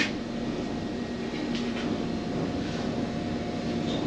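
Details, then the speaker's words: Concrete batch plant mixer barrel started after the winter layup, with hydraulics on for tilt: steady, even low hum with no knocks or scraping; the drum turns smoothly. "And then I'm going to hit mixer start. That should start the barrel. Alright, barrel's going."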